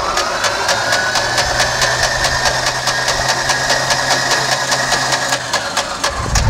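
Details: Abandoned 1947/48 Beechcraft Bonanza V35, sitting unused about 20 years: the starter turns the engine over with an even rhythmic chug and a starter whine, but it never catches or fires. Cranking, no start.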